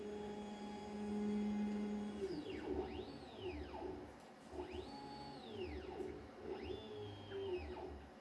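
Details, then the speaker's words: Redvision X-series PTZ CCTV camera after datum self-check, moving fast to preset 3: quiet motor whine sweeping up and down with each move, smooth, no grinding; normal pan/tilt movement. "and it goes to preset free that won't go off at the bottom in a minute it's checked itself and decided to go to preset free now for they are pretty fast"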